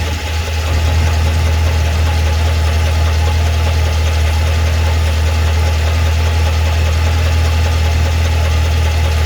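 Deep, steady V8 idle with a faint, somewhat uneven tapping around four per second underneath; ticking at idle, source undetermined.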